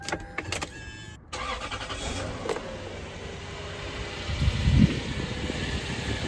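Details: 1997 Toyota Celsior UCF20 (LS400) V8 after LS430 alternator, new pulley and belt tensioner install: a short crank, then it catches quickly and settles into a steady, even idle with no misses or knocks; no leaks found.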